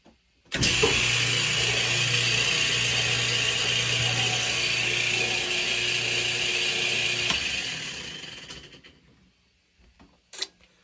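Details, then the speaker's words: Kenmore Elite direct-drive washer, model 110.22952102, on spin cycle: loud harsh clattering racket that winds down, and the drum won't spin. Broken direct-drive motor coupling, later replaced. "that sounds broken so that's on the spin cycle it's not supposed to be doing that"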